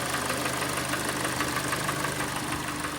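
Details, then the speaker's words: 2014 Kia Sportage restyling G4NA, AWD, automatic, 138,000 km: with winter it began knocking first cold, then suddenly warm too; sharp steady knock about three times a second over idle from worn, scuffed (carboned) pistons. "как все как обычно зима пришла и застучала сначала на холодную а потом резко и на горячую"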